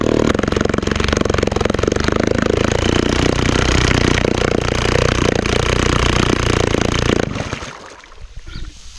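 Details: 1938 Neptune 1A38 1.2 hp two-stroke antique outboard, water-cooling fitting removed to check circulation: fast, buzzy two-stroke crackle holding an even speed for about seven seconds, then the motor cuts off. Runs healthily.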